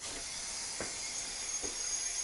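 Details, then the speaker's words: Sprinkler system winterizing blowout using an air compressor and blow-out adapter, shutoff valve off, zone opened via Rainbird RC-7BI controller: steady high hiss with soft thumps as air flows through the lines; normal. "you can hear the air flowing through the system. We have the shutoff valve in the off position. Now all the air is going through the sprinkler system,"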